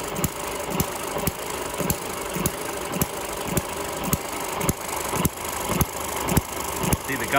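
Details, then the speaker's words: Eachine ET6 hit-and-miss model engine after repair: water-leak O-ring resealed with silicone and a head bolt that pinched the exhaust rocker shaft slackened so the governor latch engages; sharp firing pops about every half second with coasting between, governing properly. "which should mean that it misses more often in theory anyway so we're going to fire it up now and just see what she runs like"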